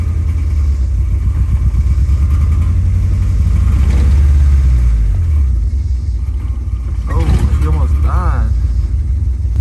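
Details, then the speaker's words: Honda Civic: very low idle, a rough, lumpy rumble that sags and nearly stalls before catching; owner suspects a blown head gasket, with a lot of liquid showing, not confirmed. "so like i said earlier we got really really low idle speeds right now and listen to that"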